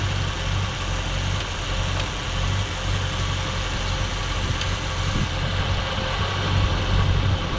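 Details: 1967 Ford Galaxie 500, 289 Ford V8, warming as the thermostat opens during the 30-minute break-in: low rumbling idle with a slight lope and small dips in the beat; owner suspects the carburetor idle screws need adjusting, not confirmed.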